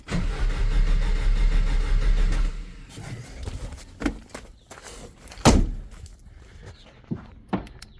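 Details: 1986 Jeep Comanche 2.5L, 4-speed manual, 2WD, newly bought with fresh gas: steady starter cranking, about three turns a second, never fires. Fuel pump primes but no fuel wetness at the throttle body; spark or fuel suspected. Finding: crank no-start.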